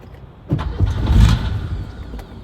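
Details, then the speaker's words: Porsche 911 with swapped Subaru EZ30R, first start in 3 years, restarting after stalling: starter cranks, brief rough surge, then dies again, failed restart; owner suspects an ECU issue, not confirmed. "so I just wanted to see if I could get it to go but I think I'm having an ECU issue"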